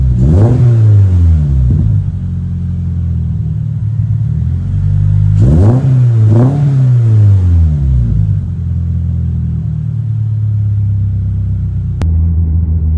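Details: 2023 Toyota GR86 just after installing an aftermarket exhaust (transcribed "NVIDIA 1") in place of OEM. Deep low rumble sweeps up and down through two revs, then settles to a steady idle. Normal, mellow, healthy exhaust revving.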